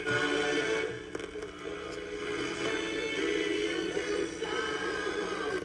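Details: Mid-1930s Airmaster 5-tube radio with its ballast tube missing, evaluated while comparing operation with a suspected open, dried-up capacitor bypassed. Station music comes through clear and full at steady volume with little hiss.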